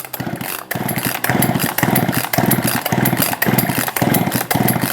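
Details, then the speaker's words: Husqvarna 262XP chainsaw after cleaning, fuel squirted in cylinder: short sputtering bursts about once a second, each dying at once; has compression, spark and fuel, but owner suspects weak spark or flooded/water in cylinder; new spark plug next. "we know it's got compression because I can feel it we know it's got spark because I just saw it and we know that it's got fuel because I just squirted it in there but the spark may be too weak to ignite the cylinder could be flooded with fuel"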